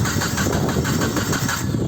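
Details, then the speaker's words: 1996 Nissan Altima cranking: steady rhythmic cranking that never fires, no spark and no tach movement, cam or crank sensor suspected; crank no start, no spark. "so i'm gonna start it i don't see no spark"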